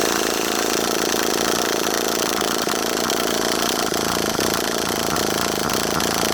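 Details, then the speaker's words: HPI Savage 21 nitro RC truck in cold weather, primed: fast buzzy cranking with a few weak pops but never catches; owner suspects a blockage, unconfirmed. "it's trying is it it is trying it's just not quite getting there you can hear it popping a little bit maybe we've got a little bit of a blockage"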